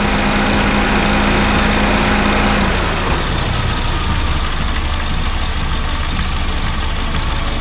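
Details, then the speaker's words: Honda Fit GD3 petrol engine idling with the A/C on. The engine sounds normal, but the compressor gives a low, uneven rumble that was absent earlier. Refrigerant level is fine, and a weakening compressor is suspected; a Power Aircon additive is added. "あ、コンプレッサーだね。コンプレッサーね、ちょっとゴロゴロと音出てます。さっきは出てなかったんですね。"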